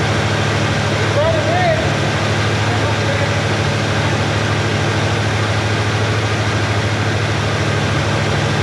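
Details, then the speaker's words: Chevrolet Nova Super Sport V8 idling after the distributor was replaced; choke needs slight adjustment, vacuum good. Deep, steady burble with an even beat, no misses or knocks: normal idle. "hey i need to adjust that choke a little bit but look at that we are running that perfectly good vacuum okay i gotta get my throttle spring out but look how smooth that thing's running"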